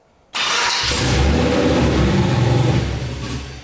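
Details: Turbo LQ4 V8-swapped Ford Ranger no-start after fitting a new On3 2-bar MAP sensor, plugs fouled: the engine catches with a burst, runs unevenly, then dies. The cause was a DTC code that had been disabled, not the MAP sensor.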